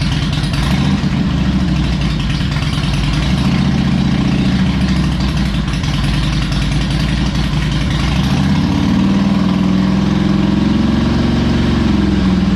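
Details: Harley Electra Glide owned almost five years, after new spark plugs, a cleaned air filter and fresh oil, not yet warmed up: loping V-twin idle with steady beat, brief rev rise near the end, even firing; normal idle.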